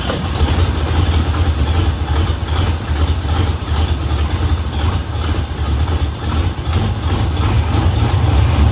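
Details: 1970 Pontiac LeMans four-door parked 30 years, cranking after oil change: uneven low starter churning, no firing; engine starved of fuel at carburetor, no gas coming through.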